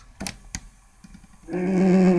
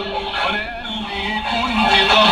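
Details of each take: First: Japanese Fisher cassette radio after repair: steady tape playback, the earlier crackle gone, but the tone is warbly and drags low; the cassette plays slow. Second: Japanese Fisher radio-cassette after repair, switches cleaned with strong degreaser: music and voice come through clear and steady, the earlier crackle on changing stations gone; clean radio reception.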